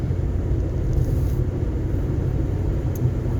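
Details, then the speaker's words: 2011 Ford Fiesta manual, driving in fourth gear: steady low road and engine rumble, no clunks, knocks or rattles; drives well, no suspension noise heard. "But it's driving good. I don't hear any suspension noise."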